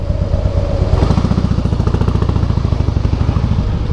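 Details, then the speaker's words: 2008 Harley-Davidson Softail Heritage, Screaming Eagle exhausts, primary drive: at very low revs a fast, regular rattling clatter rides over each firing pulse, felt as resistance; cause suspected, not confirmed. "então assim quando fica nessa na rotação bem baixinha aí você sente e escuta o barulho"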